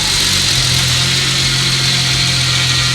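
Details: Vintage BMW E36 with a swapped N54 twin-turbo engine just after its first start, jumpered and with loose wiring; steady, even idle with a smooth low hum, no misses or knocks, healthy.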